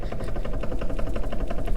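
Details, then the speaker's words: Dodge Dakota 2WD, recreating the noise at the steering wheel: rapid light clicking from play in a worn intermediate steering shaft joint, causing clunking and chattering while driving straight; fixed by replacing the intermediate shaft. "it's a slop or play in the actual steering column itself so if you can hear this that clicking is coming from the intermediate shaft"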